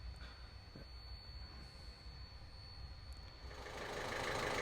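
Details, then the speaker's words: 2015 Ford Fiesta 1.5 TDCi diesel after repair of a crank-no-start fault with code P0340 and broken roller bearing remnants recovered, starting and settling into an even, smooth tickover with no knocking; no real damage. "there we go, success. It lives again, and I think you can hear it. It's ticking over lovely. So no real damage done."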